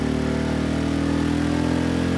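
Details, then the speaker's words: Sportsman GEN2200DFI dual-fuel inverter generator (Yamaha MZ80 clone) on propane, load raised past 1,600 W: steady low drone sagging unevenly then racing up; labouring at its propane output limit of 1,600 W. "now it's racing up quite a bit so I'm going to turn that off so 1,600 Watts that's all it can do on propane which is fine because that's all it's supposed to do"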